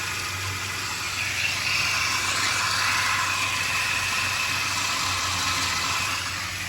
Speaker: start this up i don't know if you guys can hear it but it's coming from this area right here um this loud uh whining noise